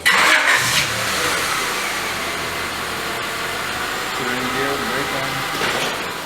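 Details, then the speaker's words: 1995 Honda Accord 4-cylinder automatic with idle vibration worse in gear and with A/C, after the repair: starts quickly and settles to a steady, even idle; with A/C on, improved but not perfect. "sounds seems okay turn on the air conditioning seems better it's not perfect but it's definitely improved"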